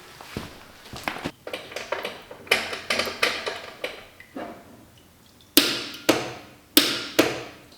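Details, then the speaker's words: Land Rover build, shutdown solenoid and starter solenoid both getting power: sharp, loud single clicks about a second apart with no cranking after them. Starter not turning despite plenty of power to the solenoid; cause still being traced. "That's a really loud click. We clearly have plenty of juice to our starter solenoid, but for some reason it is not startering."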